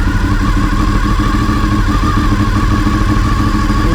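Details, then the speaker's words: Honda VFR800Fi (5th generation) V4, idle screw turned back up to its earlier setting, about 1500–1600 rpm versus the 1400 rpm target; fast, busy, evenly pattering idle well above normal tickover, idle set too high. "and this is what it sounded like before i'll just turn it back up to what it was"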